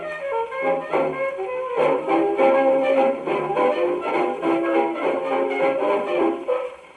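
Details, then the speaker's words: Victrola 50 phonograph, about 1922–23, testing a rebuilt reproducer on a brass-band record; clear, steady playback with no buzz, rattle or distortion, normal. "Yeah, that doesn't sound bad. Okay. Good enough for the moment."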